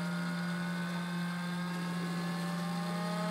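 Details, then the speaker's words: Jet Central kerosene-start model jet turbine, prime-pump test with the fuel valve on, purging air bubbles into a catch tank: steady electric whine near 180 Hz rising as the pump gathers speed; fuel pump priming normally. "so now we can hear the pump starting to run we see our fuel moving so we're priming the fuel system"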